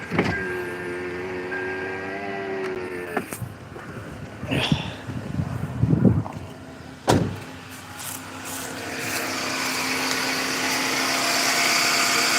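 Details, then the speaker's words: Car engine started right after a spark plug change: chimes, brief crank, then a steady, even idle without misfire; sounds good. "Up the car. See how it runs. Sounds good."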